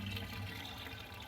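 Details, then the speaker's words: Small boat bilge pump rated about 1,100 gallons per hour, wired brown-positive, draining accumulated pool water from a channel into its well: a soft steady hum with gurgling at the outlet. It is pumping normally. "Look at that sucker go. You can see the water that accumulated there is drying out. It's coming right down the little channel there and right into the pump."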